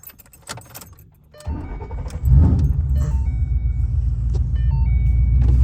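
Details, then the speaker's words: Boss-built V8 hot rod just after installing CNC Boss heads, Boss Racing cams, new chains and guides; possibly still somewhat warm. Keys jingle, brief crank, then a steady deep even idle, a slightly deeper throat, no ticking or misfire. Normal idle. "A little warm though too. Maybe. What do you think? A little deeper throat."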